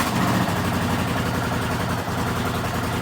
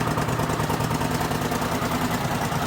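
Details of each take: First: Rebuilt 1979 Honda CX500 twin, just started cold on choke after months standing outside: loud, uneven lumpy idle with occasional stumbles; misfire, owner suspects rotten fuel, small backfire, won't rev up yet. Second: Rebuilt 1979 Honda CX500 twin, started after standing outside for months, fuel possibly stale: even, steady low burble at idle with no timing chain slap or knock, a known fault on these engines; running smoothly.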